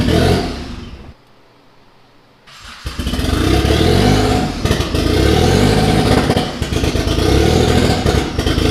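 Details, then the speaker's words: Mitsubishi 3000GT VR4 twin-turbo 6G72 V6, new engine first start: catches, cuts out for a couple of seconds, restarts with uneven lumpy clatter; owner says timing way out, suspects something unplugged, not all cylinders firing. "It should at least idle long enough for me to get over here and mess with that. Something's not right."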